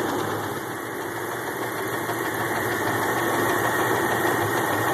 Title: Jeep engine noise